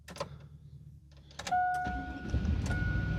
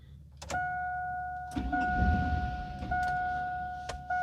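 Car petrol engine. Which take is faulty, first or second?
second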